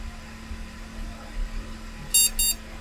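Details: IBM NetVista Pentium 4 PC with its original hard drive: right after power-on, two short high beeps over a faint fan hum, a normal POST; board starts, BIOS appears and Windows XP boots.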